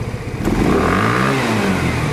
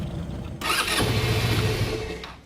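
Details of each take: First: Genuine Buddy 125 scooter after carburetor service: throttle snapped open quickly to test the accelerator pump, revs climb straight up from idle with no stumble or hesitation; crisp pickup, accelerator pump working. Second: Genuine Buddy 125 scooter, first start after carburetor service with drained fuel and vacuum petcock: fires and runs roughly under two seconds, then dies; float bowl not yet filled, not a fault.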